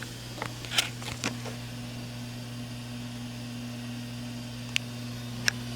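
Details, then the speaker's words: Samsung convection oven on bake at 350: a convection fan motor gets loud, a steady low hum with a whirr and stray clicks. It was later replaced with part DG31-00005A. "oh here we go starting to get a little loud we'll get right down there beside it maybe you guys can hear better some guys can hear that quite good and even from here it's quite loud"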